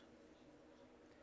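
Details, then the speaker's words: Fuel injectors removed from a car misfiring on three cylinders at low rpm, pulsing on a bench auto-check: faint, quick, even ticking with good spray patterns and no stumbles; the injectors are fine and not the cause. "então aqui tá beleza mostrar aqui deixar ele fazer o alto cheque de novo os Leques tão bonitos"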